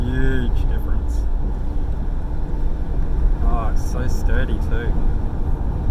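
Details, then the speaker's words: Rebuilt LS1 V8 on its first test drive after the rebuild, windows closed, heard from inside the cabin: smooth, steady, even V8 drone with no stumble; owner suspects the old coil wires caused the earlier running problems; normal running. "Close the windows, I want to see what it sounds like inside. Oh, so smooth. Let's cut in front of this car that's doing about 60 in a 40 zone. Oh, it even sounds like a V8."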